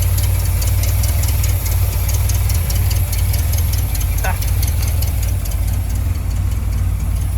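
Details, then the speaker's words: 1973 Dodge Dart Swinger, sat over a decade, first start after battery charging: deep, steady, even idle holding on its own with no misses or knocks; normal idle, sounds healthy. "oh my gosh damn this holding idle on its own all right just holding idle on its own"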